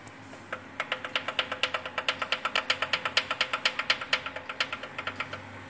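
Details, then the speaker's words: Fiat Uno Fire Evo 1.0 on a cold first start of the morning: crisp, bright ticking about six a second over a faint hum that rises with revs; valves and oil already ruled out, piston slap, needs pistons and an engine rebuild. "vou girar o motor o barulho vai aumentar aqui ó viu aí saia de pistão Aqui Nesse caso tem que trocar os pistões e fazer o motor"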